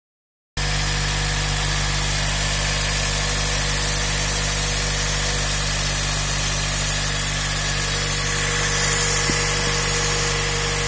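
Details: Honda Civic idling with a steady, thin whine over an even low rumble.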